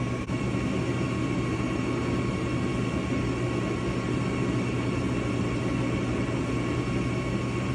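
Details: Gas furnace right after its hot surface ignitor was replaced: a steady, even motor hum with a low drone and no knocks or rattles as the draft inducer spins up normally before ignition.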